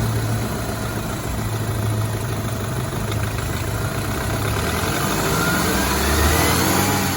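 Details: BMW 328i F30 N26 engine revving: faint whine rising with rpm over a light, uneven knock that follows rpm; owner suspects a bad timing chain guide, source unconfirmed.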